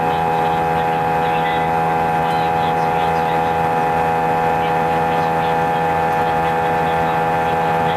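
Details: A320 cabin on takeoff: loud constant roar with steady droning hum, far louder than usual, drowning out intercom announcements; strong seat vibration lasting the whole 5-hour flight, passengers felt something was wrong, cause unknown.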